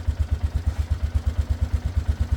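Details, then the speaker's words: 2013 Polaris Sportsman 500 HO, first start after sitting a while, with a fresh battery and some choke: a steady single-cylinder thump at a settled, quiet idle. A little steam but no smoke; it sounds healthy. "sounds like a Polaris to me not too bad definitely got a little steam there no smoke I like it I like it a lot the lights work she's nice and quiet I dig it"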